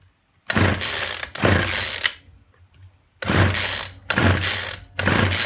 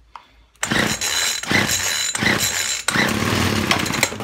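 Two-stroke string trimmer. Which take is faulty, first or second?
first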